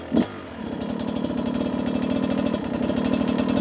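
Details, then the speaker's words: Beta 250 two-stroke on stock jetting, low-speed riding: fast crackle at low revs that stumbles, almost skipping, instead of firing evenly; not as smooth as a comparison 300; rider blames the stock jetting. "even there you can hear it's almost skipping at times we're looking for that smooth and I can't make it do it as smooth as that 300 here those inconsistencies"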